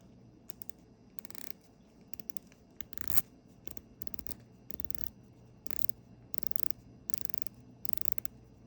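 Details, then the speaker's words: San Martin SN006-G2 Snowflake Tudor Submariner homage, bezel being rotated: short bursts of crisp, firm, dry ratcheting clicks with no tinny ring. The bezel is solid, unlike the pinging aluminium-like feel of the brand's other two models. "it sounded almost like pinging like a aluminum almost like it was going to fly up versus this one is very very solid which I really really like"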